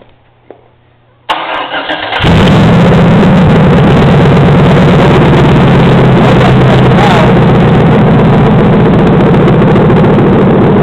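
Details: 4.8L Vortec V8 from 2007 Express van, 13,292 km, run on a stand for an 04 Colorado with no exhaust, started by jumping the solenoid: brief starter whir, then loud open unmuffled steady even rumble; normal running.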